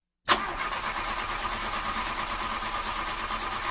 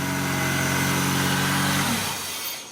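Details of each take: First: 2001 Honda CR-V with hard starting: harsh, raspy grinding throughout cranking from a misaligned starter not meshing cleanly. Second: 2001 Honda CR-V after fitting a new starter and the missing second starter bolt left out by a previous installer: smooth, even starter whir as the engine catches, no grinding; fixed.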